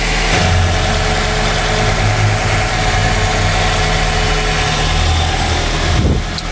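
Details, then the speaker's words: Nissan X-Trail T30 petrol engine after a new belt tensioner and alternator pulley: smooth, even idle with no clicking or ticking from the belt-driven accessories; before repair it went "klétek" when the steering was turned. "kemarin pulang dari bengkel sih enggak bunyi ya semoga ya wis benarlah diagnosanya"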